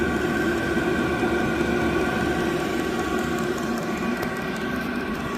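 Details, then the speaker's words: Vevor 8 kW diesel heater (newer model), first run, on high with exhaust muffler fitted (muffler quietened the hollow blowing sound tremendously): even, steady blowing hum with soft whirr, no surging or popping; normal running. "Without it, it just kind of, ooh, just like a hollow blowing sound. With it, it quietened it down tremendously."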